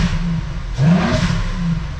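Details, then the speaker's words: Stock 12-valve VR6 Jetta wagon, stock exhaust but with a cone air filter: a quick light rev blip brings a hollow, supercharger-like rushing whoosh over the low engine note; normal intake noise. "dude that thing sounds ridiculous listen to that hold on watch this it almost sounds like it's like supercharged like whoosh that sounds crazy"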